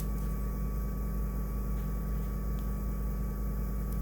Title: Dyer Vent Still Making Noise When Off